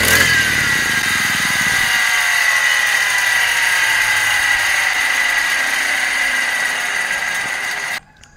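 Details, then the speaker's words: Honda-type brush cutter when hot: high buzzy two-stroke note won't rise however much throttle, runs rough, holds flat then cuts out; worn ignition coil causing stall when hot, fix is replacing the coil. "นะครับอาการมันจะเป็นแบบนี้นะคือเราจะเร่งยังไงมันก็เร่งไม่ขึ้นนะครับแล้วก็ตัวเครื่องเนี่ยมันจะใส่อย่างแรงเลยนะครับสักพักนึงเราจะบีบคันเร่งยังไงมันก็ไม่ไปนะครับแล้วสักพักนึงเครื่องมันก็จะดับแบบนี้นะครับ"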